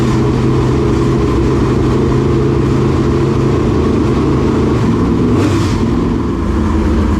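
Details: Dirt late model race car engine giving a deep, steady rumble with an even note and no misses, stumbles or knocks, checked after a frayed, rubbing belt was found; never missed a beat.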